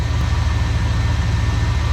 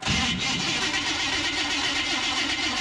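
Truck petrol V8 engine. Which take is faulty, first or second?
second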